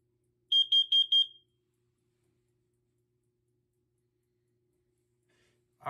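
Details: BRK/First Alert alarm (SC9120B smoke/CO or 7010B photoelectric) tested on AC power: a fast run of four sharp, loud, clean high-pitched beeps, then it stops. The alarm works.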